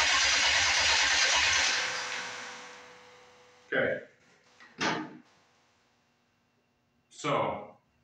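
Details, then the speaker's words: Detroit Diesel engine on a lawn mower project, start attempts: uneven starter chugging that dies without catching, then scattered short bursts; owner suspects throttle not open far enough, unconfirmed. "I wonder if we have to move that throttle off of its stop right now maybe it's not open far enough"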